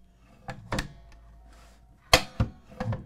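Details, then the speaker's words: DeWalt DCS520 Flexvolt cordless track saw on Festool track: few sharp irregular clicks and thunks, motor off, when plunged down; intermittent plunge clicking, source unknown, owner suspects blade lock. "there's going to be a clicking noise when i push this down and i want to know what that is"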